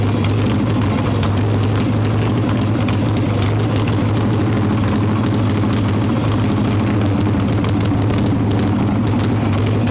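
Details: Harley Evo Softail V-twin, carb with choke plate off and mixture screw about one turn out: deep loping idle that never settles into an even beat; suspected intake air leak (loose intake bolts, cracked vacuum cap) causing rough idle.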